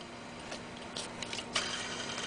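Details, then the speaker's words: BMW E46 330i mechanical belt tensioner pulley on the water pump/alternator/power steering side, belt removed, spun by hand: faint dry scraping hiss with a few ticks; bearing likely very dry, to be replaced. "but this is what it sounds like and you can tell that the bearings is uh more than likely really dry"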